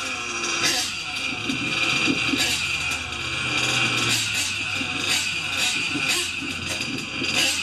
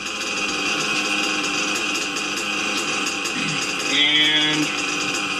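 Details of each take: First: Small nitro engine on a warmer day: screams thin and high with piercing steady top-end tone, high-speed needle a bit too lean, likely from warmer temperature; adjusted richer, after which idle held stable. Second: Small engine in warm weather, after the too-lean high-speed needle was adjusted: buzzy idle holding one even pitch after a high-speed pass, with no revving up or dropping, a stable single-stage idle.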